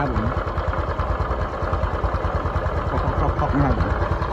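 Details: Honda Cub with a new engine, idling: quick irregular knocking about two per second; disassembly found a scored camshaft bearing and a slack cam chain.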